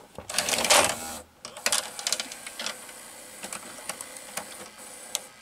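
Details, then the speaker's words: RCA VR335 VCR with a Samsung mechanism, after cleaning the mode switch that made it act weird on tape insertion: a short motor whir, then light clicks and soft ticks as the tape threads smoothly, with no grinding. Normal tape loading. "okay so why reinstall the loading water here and there it seemed that here in fix the problem seems to be perfectly working now"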